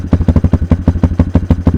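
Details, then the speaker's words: Kayo K2 230 dirt bike, cold-natured and unstarted for a few days, idling on choke after a new lithium battery: crisp, even thumping at about seven beats a second, no misses or rattles; starts much better. "This bike is a little cold natured, so I'm going to have to use the choke to start it up. It hasn't been started in a few days. Oh yeah. Starts much better."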